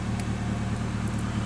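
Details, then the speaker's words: Toyota Corolla running E85 with a conversion kit; fuel pressure is unchanged from 87 octane. No check engine light, emergency brake on, door open. Steady, even low hum with no misses, knocks or ticks. Normal, healthy idle. "Car runs smooth, idles fine, and there you"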